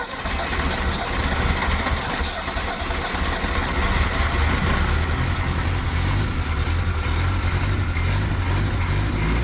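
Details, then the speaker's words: Mustang skid loader engine cranked at the starter solenoid while throttle worked by hand: low uneven chug with speed surging, a worn tired engine barely keeping itself running; rough running. "I'm going to call that running. How about that? So, I don't know if you'd call that functionally running, but I'm going to call that say that it runs."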